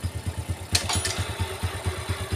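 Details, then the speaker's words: 4-stroke bike engine is smooth in neutral but gives a rough crunching rattle from the right side of the engine when in gear, smoothing again in neutral. "krusuk-rusuk kresek kresek kresek kayak gitu suaranya ya netralin halus lagi"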